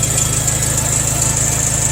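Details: 140 tractor after fitting a new John Deere starter solenoid (previous solenoids failed), throttle fully up: strong crank, then steady even low thump at idle with no stumbles or knocks; normal idle.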